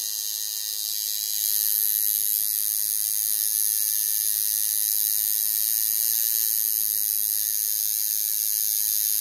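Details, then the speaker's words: Coil tattoo machine being tuned by ear by adjusting the contact screw; steady, even high buzz with no stutter or skipping, sounding better, though possibly running a bit fast until voltage is lowered; normal running. "so as you're moving this contact screw in the machine will start sounding better"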